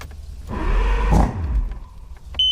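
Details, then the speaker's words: 1999 Johnson 200 hp carbureted outboard, cold start after choke-solenoid priming: fires about a second with a rough burst, then dies, short beep; primer bulb found not firm and needs repriming. "right you heard it hit so let's try it again so when it hits like that usually i have to go back and and reprime the bulb yeah it wasn't firm at all"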